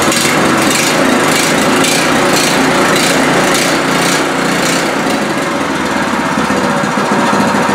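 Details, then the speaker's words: New Pro Point 208cc 7hp electric-start gas engine, on first start-up with the choke off: fast, even buzzing run at a steady speed with no misses or surging; the engine runs cleanly and fine. "and that's about it as you can see the engine worked fine"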